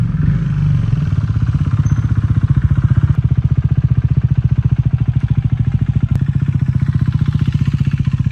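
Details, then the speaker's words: Rebuilt salvage KTM Duke 390 single, just topped up with oil, at steady idle: dry metallic rattle riding each beat from inside the motor; owner unsure if normal, rattle persists after riding up to temperature; cause unclear. "Listen to that. Is that normal on these bikes or is it just me?"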